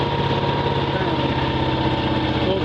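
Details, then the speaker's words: Miller Legend 302 welder, Kohler 20HP V-twin, after the bad C41 1200uF capacitor on PC1 was replaced. Fires right up into an even, steady idle. Normal idle, with the receptacle now reading 121 VAC. "Um fires right up."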